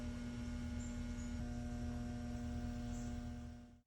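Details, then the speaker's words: Outdoor AC condenser unit that won't start: fan not spinning and compressor not running, only a faint steady electrical hum plus a short loud burst hum as it tries to start, then cuts out. "hopefully you could hear the faint humming sound coming from the unit as well as the short loud burst hum that the unit generated when it was trying to start up"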